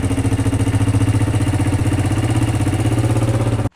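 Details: Honda Shadow motorcycle idling: steady fast puffing with hard chuffing on every pulse from exhaust escaping at a previous owner's bad exhaust weld; leftover welding wire also smoking.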